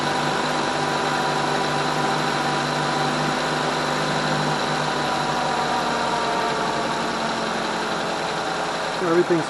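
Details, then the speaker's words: 2012 Mazda 3 sedan, first start after reassembling the intake runner actuators, VSV solenoid and new sensors: smooth, steady idle hum with no ticking, knocking or surging; normal idle. "haven't heard anything strange but that's a good sign"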